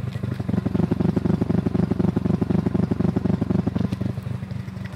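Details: Mazda RX-7 FD3S Type R, engine recently rebuilt, parked for months: lumpy, uneven idle with a regular stumble and popping exhaust pulses about four a second; misfire, engine builder suspects a spark plug, unconfirmed.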